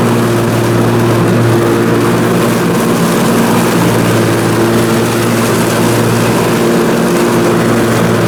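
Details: Briggs & Stratton Intek M44 twin engine after a full twin-carburetor tear-down and clean, under mowing load: steady, even drone, no hunting or surging; sounds way better. Normal running after repair.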